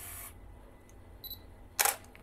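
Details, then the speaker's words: Older Canon non-STM lens autofocusing: short raspy whir, delayed focus-confirm beep then shutter click, focus takes a split second longer; noisy and very slow: noisy slow autofocus. "Hai lensa ini autofokusnya sangat sangat sangat sangat sangat lemot"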